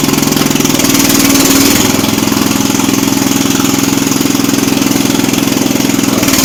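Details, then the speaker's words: Jacobsen Chief 800 garden tractor, single cylinder, started on choke with idle raised: steady beat whose pitch surges up and down every few seconds; uneven idle, carburettor needs adjusting. "Okay, so we learned a few things here. The carb needs adjusted."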